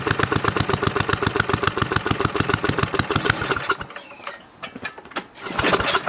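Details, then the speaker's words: Snowflite snowblower single-cylinder engine, donated and well kept, hand-started outdoors in cold after fresh gas added, oil slightly low. Fires up and settles into a quick, even chug about 3.5 beats a second. Runs clean. "oh i think it runs pretty sweet i know it probably didn't look very impressive"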